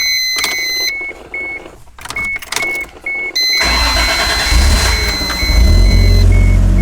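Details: 1JZ-swapped MK3 Supra after installing an MK4 fuel pump, previously died and wouldn't restart: chime beeps, brief crank, then fires and settles into a strong even rumble; starts and runs normally.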